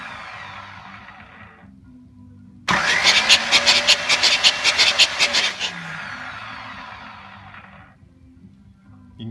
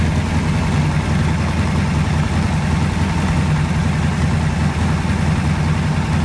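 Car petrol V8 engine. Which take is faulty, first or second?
first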